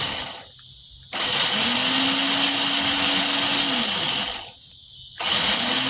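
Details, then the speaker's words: 2005 Ford Focus starter bench-tested on a 12 V jump box, positive lead on the solenoid and solenoid tapped: high, even electric whir rises quickly, holds about two seconds, then winds down; starter spins freely and sounds healthy. "You want to hold your starter in place and you want to tap this solenoid right back here. There we go."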